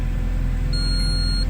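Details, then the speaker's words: Alfa Romeo 159 in neutral at start-up, idling: one short high beep, the dash gear check warning from a gearbox sensor fault; computer later reads code P0825. "Sekarang ni kita nak check, nak tunjuk kereta ni masalah dia gearbox. Gearbox dia naik sensor. Sensor gearbox naik."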